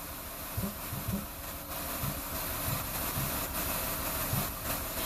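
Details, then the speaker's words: Ford Escape V6 with random misfire and P0355 ignition coil E (cylinder 5) primary circuit code, idling: irregular soft puffs about every half second over a hissy background, whoosh from intake; misfire, suspected wiring, coil, plug or ECM driver. "You can hear it in the background puffing."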